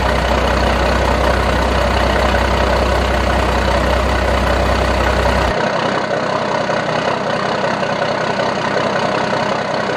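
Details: 1992 Dodge D350 Cummins diesel that sat about 14 years, started after jumping the fuel shutdown and ATF-primed new fuel filter: loud, steady idle around two and a half beats a second, no knocks or misses; good pressures, not charging.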